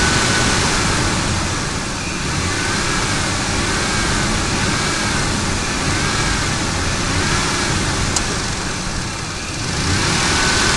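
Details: Ford F150 5.4L Triton V8: thin, wavering whine above the loud engine, rising with revs, from a bad belt tensioner.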